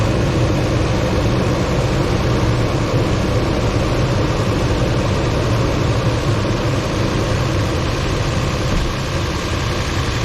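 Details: 2006 Toyota Tundra starting and idling right after its weak battery (47% health) was replaced with a new one: loud, steady, even low rumble with no stumbling or misses, sounding healthy.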